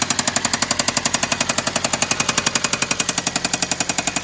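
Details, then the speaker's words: Hyundai bought back, first start, with dirty oil: sharp, even metallic knocking about three per second over the idle. Internal engine knock; oil is being added to see whether the knock goes away. Cause unconfirmed. "We got it started. However, we got a little bit of knocking. Definitely knocking."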